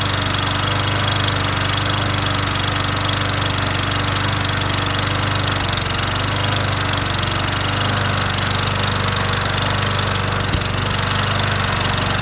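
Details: Toro GTS Recycler single-cylinder mower engine, found with a mouse nest and suspected blown head gasket, warming up on fuel of unknown age at steady fast idle; even, no knocks, misses or surging, sounds healthy.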